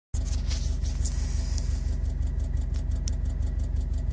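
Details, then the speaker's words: 2013 Subaru STI with upgraded injectors, new Aeromotive 14134 fuel rails and Fragola 6000 hose: a light regular ticking under load, heard only inside the car. It rises with rpm, stops off throttle and seems timed with injector pulses. Owner suspects an oscillating hardline. "that sound's coming from down here somewhere it'll go it'll rise with RPMs and as soon as you let off the gas it stops and it's it seems like it's it's it's timed with the injector pulses"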